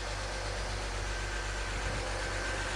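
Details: BMW X3 E83 with M54 engine, first start after a head gasket replacement and tightening a missed part, oil pressure good, not yet warm: smooth, even idle with a steady low hum and no knocks, ticks or misses; normal idle.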